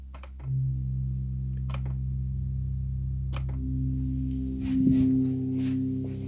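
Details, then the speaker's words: Organ pedalboard reed switch (low C): the pedal note drones on continuously because the magnet sits too close to the reed switch and holds it closed; sliding the magnet back fixes it. Stuck note from misadjusted reed switch. "And I had a bizarre problem where I thought it was a computer issue with toggling, but it actually turns out to be the placement of this magnet. So you can hear at the moment the pedal note is staying on continuously."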